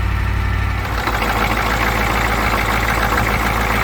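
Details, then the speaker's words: 1985 Ford F-350 dump truck, 6.9 IDI diesel, just fired after cranking with starting fluid on new high-torque starter: loud, uneven clatter around three beats per second; owner suspects air intrusion. Rough running, cause unconfirmed. "sounds like we've got some air intrusion too she fired"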